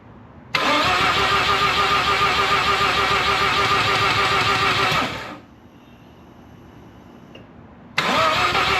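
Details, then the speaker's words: Freshly rebuilt Mazda RX7 FC 13B NA rotary, cam angle sensor loosened for adjustment: catches, runs rough about four seconds, dies and won't hold idle; owner plans to clean spark plugs and retry. "Damn. Well, I couldn't get it to start, but you guys get the idea."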